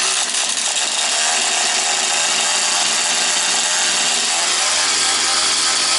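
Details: Husqvarna 240 chainsaw, reassembled, first start of rebuild, still tight, caught on third pull: steady high-pitched two-stroke buzz, no hunting or stalling; owner plans further carb adjustment. Normal running.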